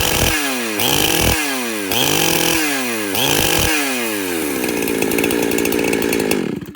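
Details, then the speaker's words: Chainsaw with the high-speed carburetor screw set far too rich: repeated full-throttle revs break into a low burbling "brrr, brrr" instead of a clean scream; super rich high-speed mixture. "you hear that brrr, brrr, that's super, super rich."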